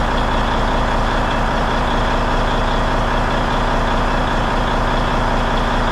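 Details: Peterbilt truck diesel, first start after cab refit with fresh fuel in the rebuilt tanks, warming up; loud, steady idle with an even beat of about two and a half firings a second and no knocks; runs clean.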